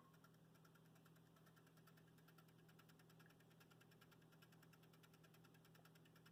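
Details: Broadway Limited UP 4-12-2 hybrid model locomotive with sound and smoke switch off: fast, regular high clicks, about three a second, over a low electric hum; chirps synced to speed, clicks even standing still; owner suspects a bad decoder or mechanical fault.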